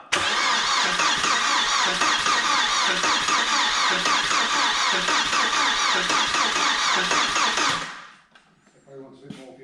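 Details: Audi A4 1.8T barn find, long-stored, fuel pump not heard, fed from a temporary leaking fuel setup: fast, even cranking about four beats a second with no firing; cranks but won't start, cause unknown.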